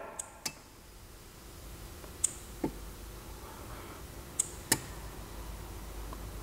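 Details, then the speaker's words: Audi A8 with air suspension stuck in the highest position, front left commanded to lower with a scan tool: faint sharp single clicks from the valve block behind the inner fender, with no air release; valve clicks without deflating. "and we can definitely hear a click it's coming from this area quickly raised the vehicle and when we bi-directly controlled the air suspension we could definitely hear a click coming from this area"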